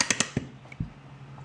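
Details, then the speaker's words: 1993 Starcraft Meteorite popup camper, Shelby 5438 lift winch after un-fusing and lubricating the gears: normal crisp ratchet clicks while cranking up as the lock arm catches the gear, bursting then slowing. "now cranking it up it's reversed threads and it's going this way to crank it up this is spinning by itself and then it gets tight against the friction pads now it's cranking up that's when you hear the clicking like normal"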